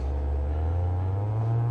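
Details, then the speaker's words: Old-school Hollywood Sound Labs 10-inch subwoofer during refoam, surround glued and cone centered, tone at about 40–60 Hz max amplitude: clean, steady low hum with no flapping buzz or rattle; normal subwoofer tone. "let's get her down to about 60 40 50 hertz or so i've got a max amplitude but now that's nice and centered it sounds really good"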